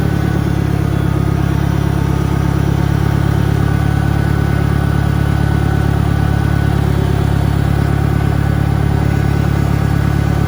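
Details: 1963 John Deere 1010 tractor, original and properly maintained, at 1,000 rpm on a backyard lap; steady low drone with a faint gear hum; normal transmission gear noise from a well-kept gearbox.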